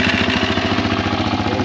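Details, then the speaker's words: Kawasaki KFX400 ATV single-cylinder engine after starter clutch replacement, started with key: even quick thumping at steady idle, no misses or knock; runs fantastic. "we're going to try to flip it now see what happens um she runs fantastic"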